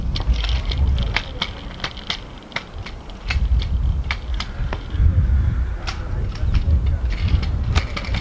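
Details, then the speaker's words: Razor Pro fold-up scooter jump-tested off an edge: rattly roll over rough ground with sharp clacks and a loose clunk on landing; clunkiness on landing makes it less ideal for tricks. "you'll see it Lance there's a bit of clunkiness in like it landing makes it maybe not ideal for like tricks and stuff"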